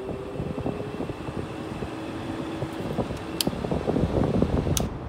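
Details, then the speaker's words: 2007 Haier 5200 BTU air conditioner, bought 2006, compressor shut off: fan whirs with a thin steady squeal from the fan motor; owner suspects a motor problem or an overcharged system. "this is that motor squeal so yeah definitely a motor problem or or she's overcharged"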